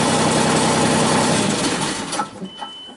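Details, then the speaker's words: 2001 Genie S-40 diesel boom lift: engine catches and runs briefly with an even beat, then dies within seconds as the number nine ignition/fuel light goes out; apparently an intentional shutdown, starts then stalls. "so it seemed to stall out as soon as this number nine went out ignition or fuel on"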